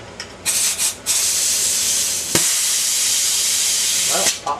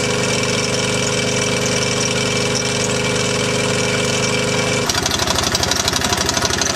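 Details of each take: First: T80 air compressor with about 50 lb of pressure, a few short spits then a loud steady two-second hiss as the pop-off valve relieves pressure: safety valve venting normally. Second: T80 air compressor on an engine, running loaded: a high-pitched squeak plus a fast, uneven rattle about four a second. It still makes air and pops off, and the rattle stops when unloaded. A worn eccentric bearing is knocking inside.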